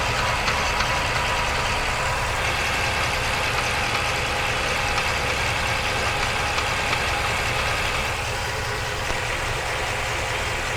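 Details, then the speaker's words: Ford 7.3 F350 with 10-speed transmission, about 2,500-2,600 miles, microphone underneath: dull uneven knock about three a second at idle, seems to come from the transmission, possibly engine noise carrying through; not confirmed. "so hopefully you can hear that uh definitely seems to be coming from the trance"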